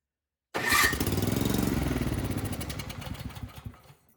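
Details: Craftsman snowblower that would not start, given starting fluid into the carburetor: it catches with an uneven putter of about four beats a second, then fades and dies within three seconds. Fuel/carburetor fault; the carburetor was later replaced.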